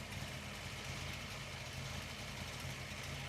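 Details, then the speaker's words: Ford Falcon V8 after a new water pump and coolant refill, warm idle with the temperature gauge coming up: deep, even burble with steady low pulses, no misses or knocks; healthy, normal idle. "One of my favorite parts of driving this car is cruising up to a red light and letting it idle at the set of traffic lights. I actually I appreciate listening this thing idle."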